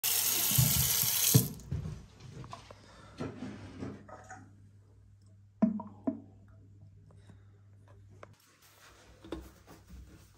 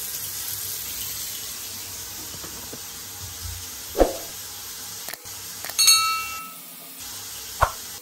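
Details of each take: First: Gurgling and popping sink drain as water runs, caused by air seeping through an existing partial clog that may trap further debris; can also stem from missing aeration, fixed by fitting an aerator. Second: Water running into a sink and draining smoothly with a steady hiss, no gurgling or glugging; normal drain, gurgling otherwise caused by air seeping through a clog or poor venting, fixed with an aerator.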